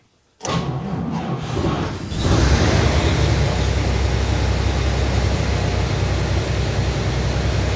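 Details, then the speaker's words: 1952 Chevy Styleline after replacing the pump-to-carb fuel line and cleaning fuel pump top and carb needle: catches quickly after a brief starter burst, then a steady, even low idle with no misses; fuel then leaks from the carb bowl again. "that sounds pretty good there"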